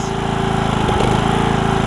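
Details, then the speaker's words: Briggs and Stratton single-cylinder riding mower engine after HiPA carburetor replacement, running to burn off fuel residue: putters at an even, steady rate with no misses or surging; normal running. "Alright guys, it's running good, which is nice."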